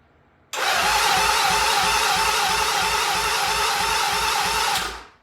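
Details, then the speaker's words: 1975 Norton motorcycle before its first start, compression reading creeping to only 60 and 90; even, light cranking chuff about three beats a second under a loud starter whirr; low compression. "It's creeping up to 60. 60 and 90. All right, well, we're gonna try to start it."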